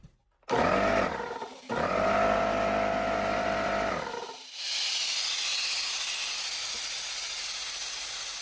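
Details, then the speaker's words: Trash-picked air compressor: motor hums and pumps, then a loud continuous hiss; air leaks at a very loose fitting and out past the one-way valve, so pressure cannot build. "So I don't know if it just can't build pressure because it's just leaking so much air around that fitting."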